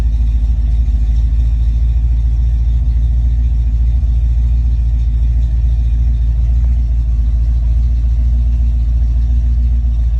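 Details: Ford Mustang Foxbody with rebuilt, tested A9L mass air ECU: smooth steady low rumble, even beat, no misses, closed-loop idle around 800-900 rpm after high idle; normal idle.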